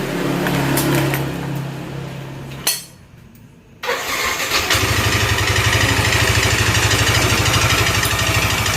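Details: Yamaha NMAX scooter idling after restart: a steady, even top-end tick about three per second, unchanged after fitting bosses to the damaged slider cover, so the head is opened.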